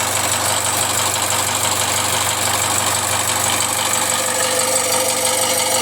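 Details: Jaguar F-Pace 204DTD diesel, self-rebuilt with used polished crank, engine mount just connected: loud harsh idle, coarse uneven clatter and heavy hiss; rough, owner unsure if normal, suspects exhaust blowing or needs warming up.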